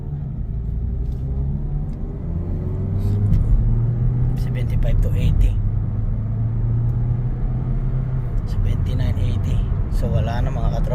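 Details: Mazda CX-3 at cruising speed: steady low tyre and road rumble with no humming or droning tone riding on it; rear wheel bearing sounds healthy.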